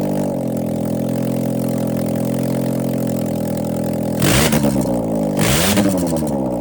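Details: 2000 Mazda Miata NB with the stock headers removed, running as a header dump before installing new Goodwin headers; raw blatty idle and two sharp revs, loud unmuffled exhaust. Open header exhaust.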